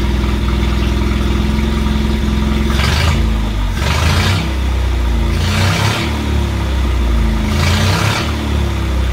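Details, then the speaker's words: 1968 Bedford CA ice cream van run for the first time in years, briefly because there is no coolant. The old four-cylinder ticks over steadily and picks up cleanly on quick throttle blips, then settles back: running. "stubborn little mule well you've done pretty well old girl just to run at all really amazing than it really was took over turned up a little bit but anyway it's running"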